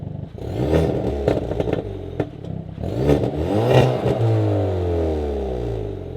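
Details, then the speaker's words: Hyundai Veloster N turbo four with Depo Racing catless downpipe and flex pipe, JB4 tune, N mode, heard loud in the cabin; raspy exhaust rising and falling through gear pulls, crackles on lift-off, no leak ticking or puffing: healthy exhaust. "Alright boys, so this is what it sounds like in N mode. Loud in the cabin. And with the JB4 tune, it's like, gives it just a little bit more boost."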